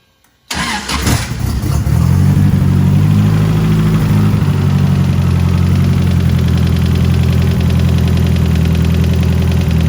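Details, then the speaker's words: Sandrail with Ford 2.3 turbo cranks, catches and idles with a light, fast valvetrain tick over the low exhaust rumble, mostly at idle; still ticking after new Melling lifters were installed, though maybe better. "uh well after all that she still ticks so it's not all you know glory and success here on delony v8"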